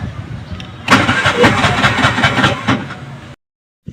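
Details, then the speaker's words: Bajaj RE three-wheeler, hard starting from thick carbon deposits: rapid starter cranking about four pulses a second for a few seconds, never catches, then stops; engine won't keep running. "So hard starting yung kanyang unit no. At siambahang umi-start. Minsan umi-start minsan hindi at talagang minsan talaga ay talagang ayaw ng umandar."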